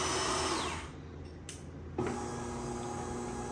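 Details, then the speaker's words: DeLonghi Magnifica S coffee machine after the faulty grinder motor (diagnosed with a multimeter after an error showed the grinder not responding) was replaced. The grinder starts with a steady, even motor hum and smooth grinding whir, with no rattling or strain. Works perfectly. "it's already sounds much better than before let's it's work yeah the coffee grinder works perfect"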